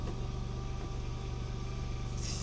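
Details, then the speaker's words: 2008 Honda Accord V6 with 320,000 miles and its original power steering pump, at idle: a thin steady whine rides above the low engine hum. Owner says the worn pump doesn't sound good and plans to replace it. "320,000 miles. And it has the original power steering pump on it. It does not sound good."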